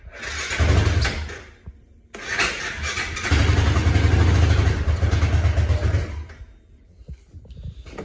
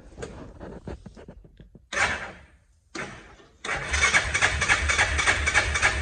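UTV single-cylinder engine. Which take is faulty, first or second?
first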